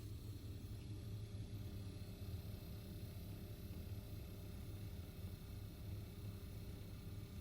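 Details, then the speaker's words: Alpicool C20 portable compressor fridge powered from a Jackery, thermostat turned way down to make it kick on: very small, low, steady compressor hum with no knocks or rattles, quiet enough to sleep through; normal compressor running hum. "Very small humming noise. It doesn't bother me at all. Even when I sleep and it kicks on at nighttime, I have 0 issue with it."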